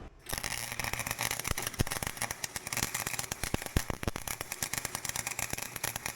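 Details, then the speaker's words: Harbor Freight welder on dirty metal: rapid irregular crackling pops like a machine gun instead of a smooth sizzle, ground clamp melting; unstable arc, suspected dirty metal or dirty tip, not confirmed. "I don't think it's supposed to sound like a machine gun yeah I'm melting the I'm melting my ground so that's definitely telling me something's not right"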